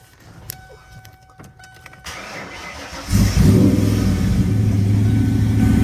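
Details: 1995 Mustang S351 306 Foxbody that died, after adding a missing ground strap to the frame rail, battery 12.9 V without boosters: cranks, catches at three seconds, settles to a steady, even idle; 60 PSI oil pressure.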